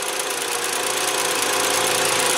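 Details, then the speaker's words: 2007 Jetta 2.5 20v, idling at 680–690 rpm with coolant at 75 °C: fast light ticking from the canister purge valve, whose hose is felt pulsing; such valves on VW often fail when the fuel tank is overfilled. "a válvulas inha do cânister aqui ó se a gente encosta na Mangueira a gente sente pulsar ela até vibra inclusive mas não vai pegar no vídeo"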